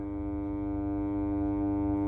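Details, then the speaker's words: Fender Super Sonic 22 1x12 guitar combo with capacitor trouble, brought up gently on a variac to about 120 V: a steady low hum with overtones swells. Supply hum, with the first filter capacitor suspected. "so we've got 120 volts there we go you can just begin to hear it come up"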